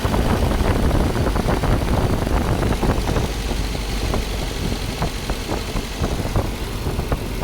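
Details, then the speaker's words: Mercedes W124 M102 on its first run after the Voltarent EFI conversion: the idle is lowered from 1,800 toward 1,300, 1,200, 1,100 and 1,000 rpm, aiming for about 900; slightly uneven pulses, rough but steady running. "So, it's at 1300 RPM. 1,200, 1100. Man, why is it not turning? Okay. 1,000."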